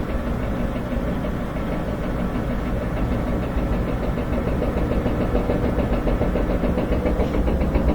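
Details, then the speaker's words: Front-load washer spin accelerating with dull irregular banging from the back, louder as speed rises, excessive vibration even when empty; loose shaft in worn rear drum bearing. "You can hear the bangings coming from the back. It's louder and louder. Kind of banging around like that. If it's empty, you shouldn't be getting that much vibration. But that's how you know you have a bad rear bearing."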